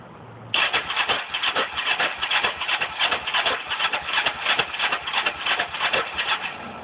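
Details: Engine with cleaned carbs and a new spark plug: starter churns in an uneven rhythm about three times a second for six seconds but the engine never catches; cranks but no start.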